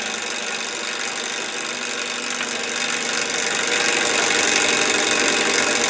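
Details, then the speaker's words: Candle-powered Stirling hot-air engine driving a 3D-printed gearbox: brisk regular tapping about four per second rising slightly with speed; knocking suspected from loose bearings on vertical rod and linkages, not confirmed. "one of the things about the sterling engine was the whisper quiet this one's quite loud noise is inefficiency so i'm gonna do some work in the linkages to get it running right"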